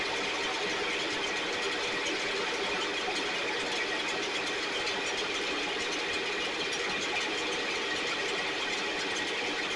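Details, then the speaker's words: STIHL 6R 450 two-stroke backpack blower after cleaning and repair (idle had fluctuated and could not be adjusted): even, high-pitched buzz holding steady speed with no surging or dropouts, running much better though still loading up slightly, with carbon buildup suspected. "All right, it's it's running much better. Uh, it's still uh loading up a little bit and I think it may be because of carbon buildup on side inside of it."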